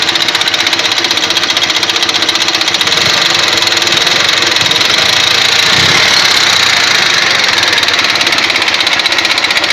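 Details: Ural motorcycle engine running at a steady speed with a fast, fairly loose top-end ticking knock. The owner suspects, by ear, the camshaft; not confirmed.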